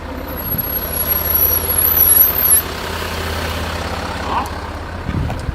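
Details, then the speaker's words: 2014 Range Rover Sport 3.0-litre with Brembo brakes, rolling slowly: high thin wavering squeal like dry metal on metal, fading after a couple of seconds, louder depending on wheel rotation; front brake squeal, cause suspected, not confirmed. "hat man extremes pfeifen gehört also richtig als ob metall auf metall richtig schön ohne öl sozusagen quietscht"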